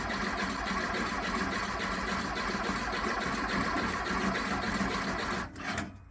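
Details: 1969 VW Beetle, not running for months, after carburetor install: uneven stumbling crank-and-run, irregular firing about five seconds then dies; timing light shows intermittent spark, suspected coil, rotor, distributor or points; intermittent spark misfire.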